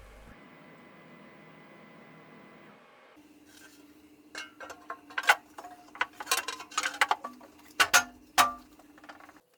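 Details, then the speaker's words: Emco PC Turn 50 mini CNC lathe Z-axis, first dry run after ball screw disassembly, broken ball nut bearing ball replacement and grease nipple replacement: a steady mid-pitched stepper hum with a few light clinks as the slide traverses; the axis runs okay. "this is the first dry run the zxs seems to be running okay"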